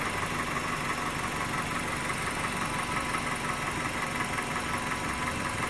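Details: 2001 Toyota Corolla 1.8 after repairing cylinder 3 misfire, no codes: steady, even idle hum with no misses or uneven beats; running cleanly on all four cylinders, normal idle.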